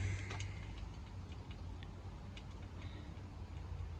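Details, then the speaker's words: Foxbody Mustang front spare wheel spun by hand on a newly installed K-member and suspension: a faint, fairly even light tick over a low hum; owner suspects the wheel or a bent hub; ticking noise when the wheel spins. "What the heck's that noise? Is that that? What the heck is the noise?"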